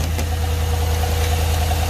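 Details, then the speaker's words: V8 at about 230,000 miles, no DOD/AFM lifter delete, idling: uneven, lumpy misfire beat with an intermittent tick and clunk, not exhaust; internal damage suspected, cause not confirmed. "oh well you know what it's ticking really bad it's clunking in there there's something wrong yep there is damage in there you can hear it that intermittent tick not the exhaust not the tick from the click click it's misfiring"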